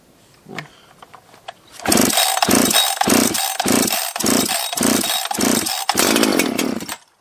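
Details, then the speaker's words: 24-year-old Husqvarna 365 chainsaw revived from junk, first start after reassembly on choke, low jet a half turn out; felt like no compression when pulled: catches after a few pulls, runs in rough choppy bursts about four a second. Normal start. "that's that's the sound of a husky that's how that's how a husky runs"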